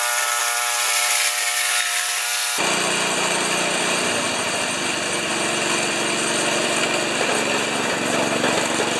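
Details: 1973 Tecumseh single-stage snow blower engine after carburetor reinstall and leak check, augers always turning while running. Music fades, then steady, even clean buzz, no misses or knocks; normal running.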